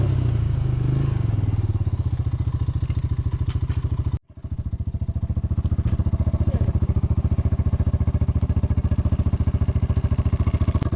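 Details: 307SSR excavator diesel working dirt after overheating repair: steady deep beat with even pulses and a steady note under load; water temperature stays put, overheating fixed, engine runs smooth and healthy.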